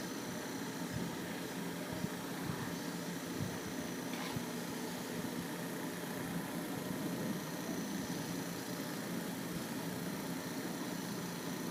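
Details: Camel PSIF-16 (55W) electric fan repaired for noise when spinning (worn shaft and bushing, capacitor replaced): soft steady whir, even hum, no rattle or scraping; normal fan running.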